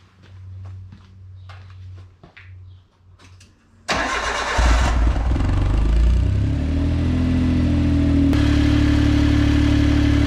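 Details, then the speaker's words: Suzuki AZ-1/Cara F6A DOHC engine on a lift after new AC and alternator belts: quick start into an even run, no belt squeal, AC compressor on; earlier hissing gone, a whirring noise remains. "all right that sounds okay no no belt squeals in here to turn on the ac so the ac compressor is on it seems to be running"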